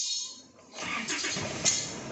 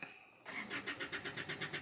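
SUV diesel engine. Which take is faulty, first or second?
second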